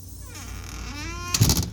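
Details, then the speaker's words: Squeaky back door after WD-40 fixed the top hinge: a creaky squeal climbing in pitch as the door swings, then a solid thump on closing; the dry bottom hinge still squeaks and needs lubrication. "l use a little this wd-40 ain't gonna kill that squeaking"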